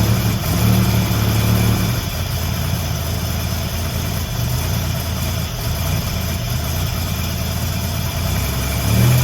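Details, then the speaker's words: Buick Grand National with rebuilt 140 block and fresh cam, just after its first start: deep, steady idle that stays smooth with no knocks or misses; no cooling system components fitted yet, so only a short run; sounds healthy. "okay I like the way that sounds remember I don't have any cooling system components on here yet so I don't want to run it for long"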